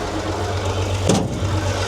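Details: 1939 Allis Chalmers HD14 bulldozer with 6-71 diesel, first start after sitting several years: deep, steady idle with even low beat and one brief clatter; running smoothly, normal diesel idle.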